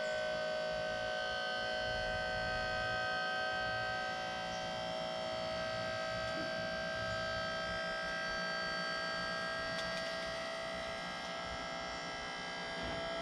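A steady high whine holds for the whole lift, sagging slightly as the load builds: a small electric pump working hard but running.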